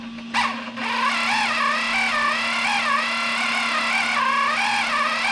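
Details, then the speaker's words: 3D-printed RC outboard, newly assembled gear drive with marine grease on teeth, first dynamic run-in at low throttle: high whining tone wavering up and down as the motor hunts, expected since these motors are poor at low speed. "you can hear how it's hunting a little bit I would expect that from one of these motors not really great at low speed"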